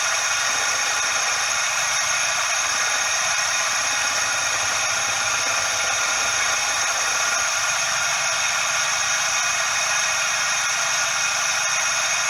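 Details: Suzuki Every DA64V engine: constant dry "shaa/jaa" hiss with a thin squealing edge and no rhythm, from the belt tensioner bearing.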